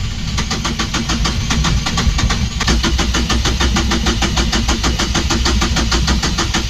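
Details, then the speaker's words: Yanmar diesel on a catamaran, cranking after the primary fuel filter was refilled with the lift pump and its bleed screw opened: steady, even cranking, about three beats a second, never catches. No-start from air in the fuel system, needing bleeding. "We filled up the primary diesel filter with a lift pump. Now, so it's everything's full, so I reckon within five turns it'll start, and hopefully it'll be easy draw through, and there won't be any air locks in there, and it'll run."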